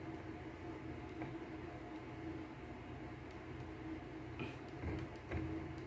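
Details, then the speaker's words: LG clothes dryer RC8011A6 after motor replacement, test run set to 21: low steady drum hum with only light occasional ticks, no rumble or scraping; the earlier noise complaint is resolved, running quietly. "Wala nang ingay, hindi na kagaya kanina. Yan na siya, tahimik na siya. Yun lang naman nire-reklamo nila, maingay. Na-resolve na natin yung ingay niya ito."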